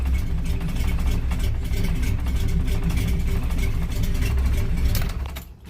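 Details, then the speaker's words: Chevy K5 Blazer V8, fresh from the shop with new transmission and loud exhaust: deep steady rumble settles into an even idle; starts and runs cleanly. "Right up. She started right up."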